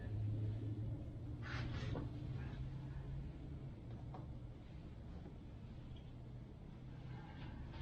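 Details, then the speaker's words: 1999 Yamaha Bear Tracker 250 ATV, long unused, suspected bad gas and dirty air filter, cranking on full choke: slow, uneven labouring starter rumble about four pulses a second; starter sounds unhealthy, starter clutch later inspected, cause unconfirmed. "Starter doesn't sound real healthy. No, it doesn't. It's been sitting for a while. So. Sounds very bad."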